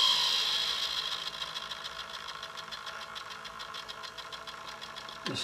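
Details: Hitec 785 sail winch servo holding sheet under about 2 kg load: high buzzing whine with quick pulsing flutter about three a second, much louder than at lighter loads as servo strains to hold position.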